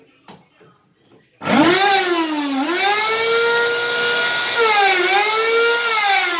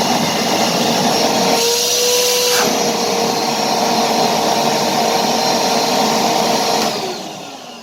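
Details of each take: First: Karcher WD 2 shop vacuum starts with a harsh, loud whining roar whose pitch sags and recovers; persisted after motor bearing replacement; cause construction debris stuck to the turbine blades, fixed by cleaning the turbine. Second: Kärcher WD 2 shop vacuum after motor bearing replacement and turbine cleaning: steady even airy roar and clean mid-pitched hum, then wind-down; earlier loud roar cured by the turbine cleaning.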